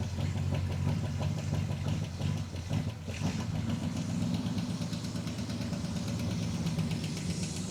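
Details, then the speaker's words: 1959 Ford F100 with a 302ci (5.0L) V8, 650cfm carb and C4 transmission, odometer reading 96,000 but likely about 196,000, idling: a quick, light metallic tick like two quarters striking, a valve-train lifter tick. "lifter tick. You hear that? I don't know if that's coming through on the mic, but the motor is making uh a sound like if you took two quarters and you kind of hit them against each other uh here or just some metal."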